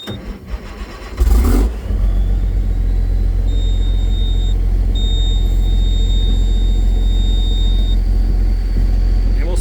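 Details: Case STX375 articulated tractor, started after programming a new transmission control module for a transmission fault: short crank, fires at once, settles to a steady, even low idle rumble; normal start and idle.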